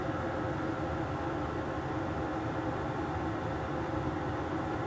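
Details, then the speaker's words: Portable diesel heater on high in a Clam X-500 insulated tent, about 45° outside: even steady hum and whir, constant fan tone, no surging or popping; clean, no smoke, normal running. "once it fully ramps up I think it fights down even more nice and clean no B smk pretty quiet too"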